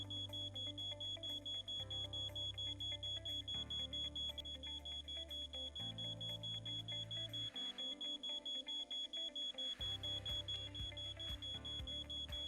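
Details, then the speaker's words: Siemens SENTRON powermanager V8 software at first login, before any configuration: steady repeating electronic tone with fast regular beeps in a looping pattern, the default alarm sound for active alarms, which continues until the alarms are cleared from the command tab. "Arka planda duyduğunuz sesi Power Manager'ın varsayılan alarm sesidir."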